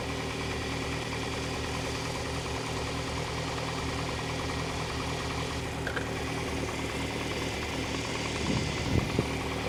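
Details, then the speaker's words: Unrestored original Lotus Elite with new spark plugs and tuned carbs, 4.5 reading on all 4 cylinders: smooth even idle at 1100 rpm, steady exhaust beat, no stumbles or pops; normal idle. "So basically I've got a reading now on this of 4.5 on all 4 cylinders, and that sounds nice and sweet. I've got it idling at 1100, which, you know, for the sports engine it's probably about right, but correct me if I'm wrong."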